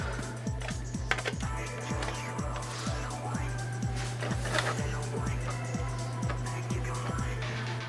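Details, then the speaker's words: Original PS4 Blu-ray drive, powered on: faint even ticking about three times a second over mains hum as the laser tries but never reads; won't accept or eject discs, caused by a damaged drive-to-motherboard ribbon cable, fixed by replacing the cable. "I don't know if you can hear that, but you can hear the laser kind of working but not. So you can see the PS4 is on, but it's not reading discs, it's not accepting discs or ejecting them."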